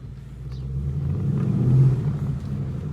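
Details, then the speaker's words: 2017 Ford Mustang GT (S550) on a road test after replacing the left rear half-shaft thrust washer, which had caused clunking on drive–reverse shifts and hard driving: smooth low rumble builds evenly as it pulls away, no clunks from the rear axle. "yep she's fixed and it's starting to rain"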